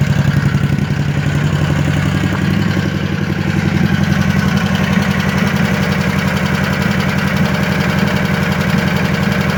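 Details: Scag V-Ride mower idles roughly with a pop, misfire-like stumble breaking its low chug but sounds fine at wide-open throttle; owner notes fuel filter not full while running, unsure if related.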